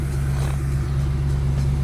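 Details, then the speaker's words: 1987 Mustang after engine swap, just fitted a replacement MAF sensor; deep steady idle with slight uneven pulse and wavering, smoother than before but still rough. "So it runs a lot better. It's still kind of rough."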